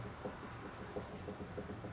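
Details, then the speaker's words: Ford truck steering box, rocked by hand: light dull clunks, a few each second. The worm drive is good, but the sector shaft is worn with play, and the box also leaks at the sector shaft. "you hear that so the worm drive is good but our sector shafts wore out we probably could adjust this one"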